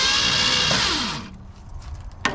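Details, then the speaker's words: 1966 Mustang off the road since at least 1987, spark plugs removed to clear the cylinders: quick, even whirring spin for about a second, then it winds down; the starter turns the engine freely without grinding. "there's no plugs in it still which is why it's so free and all that"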